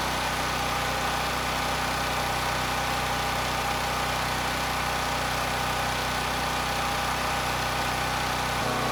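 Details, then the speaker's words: NorthStar 8000 PPG generator with Honda GX390 engine, after carburetor cleaning, running a few minutes with no load: a steady, even hum with no surging or hunting. The governor arm is rock-solid and frequency is stable; normal idle. "I think we're okay it's been a few minutes The Surge is gone you know I can't hear it I actually took a look at the governor arm and it is Rock Solid steady it's not moving at all"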